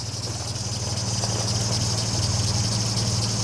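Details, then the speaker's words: 1955 MG Magnette ZA, just started with one press of the button: even, steady tick-over pulsing about four times a second, no misses or rattles, ticking over nicely; normal idle. "Ticking over nicely, literally one press on there, and away she runs. Sounding nice and"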